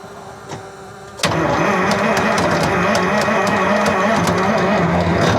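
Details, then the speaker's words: 1975 Freightliner FLT with Detroit Diesel V12, truck being revived: starter bangs in and chatters unevenly around two clicks a second, dropping in and out instead of cranking; low battery suspected. "All right. It's a starter. It's a starter coming in and out, I think. Okay. I think that's Battery's low."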